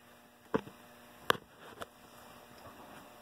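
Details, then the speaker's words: Lennox upstairs heat pump with 5 kW heat, blower not coming on at yellow fan speed: the ice cube relay clicks, then only the faint steady hum of the heater, with no fan rush; the blower relay contacts have failed on both sides. "So there, we just got a click. Right there's a heater and no blower. you can hear the hum of the heater back there. So that set of contacts has malfunctioned also."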